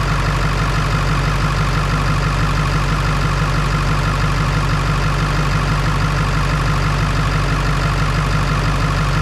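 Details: Ford 7.3 Power Stroke diesel idling after fixing a battery connection that caused slow cranking with one battery carrying the load: even diesel clatter about three beats a second, no misses; 14.37 V on both sides.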